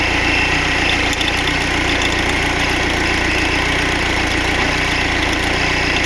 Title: OM646.821 rattling sound